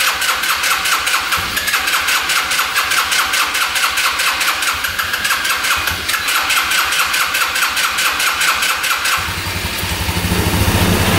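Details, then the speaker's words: Yerf-Dog Scout 4x2 UTV, sat outside for years: steady fast cranking with no firing at all; fuel starvation, the tank pickup tube has broken off so the pump gets no fuel. "all right it looks like the tube that goes down from here is stuck down in the tank and it's broken off so that's why it's not grabbing any fuel"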